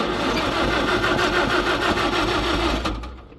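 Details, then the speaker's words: Engine with carburetor gas previously drained, cranked with choke on: steady churning crank about three beats a second with no catch or firing, then stops; flooded from choking, cranks but won't start. "turn it turn it what did it choke well we flooded it trying to crank it when it was show you what I mean here guys should never choked should never choked it"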